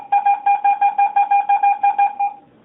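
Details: Garrett AT-Pro metal detector air test, copper penny held about 2–4 inches from the coil on a measured board, reading about 81–85. A quick train of about a dozen mid-pitched beeps, roughly five a second, the high-conductivity copper penny tone.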